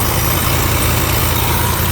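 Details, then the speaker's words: 1989 Chevy 3500 dually at idle: loud, steady low rumble with a raspy exhaust edge; cracked exhaust manifold leaking. "uh definitely uh have a crack manifold right here I don't know all that"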